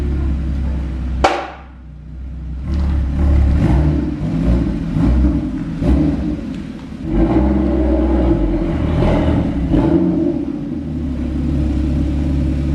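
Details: Rebuilt crashed Porsche Cayman GT4 flat-six with Immico exhaust, first start after rebuild: sharp crank and catch, then a deep, full idle with a few throttle blips; runs clean and strong, healthy engine.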